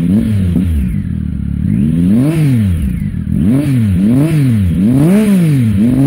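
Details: Triumph Tiger with Arrow exhaust, sealed-in fixed baffle removed; quick throttle blips about one a second, rising and falling sharply with a loud, open bark; loud exhaust with baffle removed.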